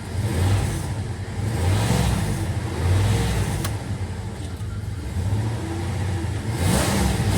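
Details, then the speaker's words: 2000 Dodge Durango that stalls when warm, computer connectors suspected corroded by salt air: engine note surges and sags unevenly, not running smoothly, check engine light back on; cause not confirmed. "Let's start this thing up and see see what it sounds like. Sounds to me like it's not running that smoothly."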